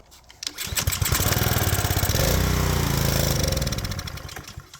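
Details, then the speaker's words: Power washer's small engine, on fresh 89 gas after carb removal and cleaning (it had run only on choke), catches after a few pulls and settles into a steady, even patter with no surging or stumbling; normal running. "oh best day ever oh man this is this is great I mean we took the carb off we did some cleaning and it's ready to go now"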